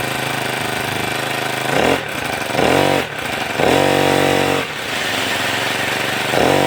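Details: Grass trimmer two-stroke, about two years old, previously idling but not revving, after replacing the primer bulb: high buzz climbs cleanly on each blip and drops back to idle with no bogging.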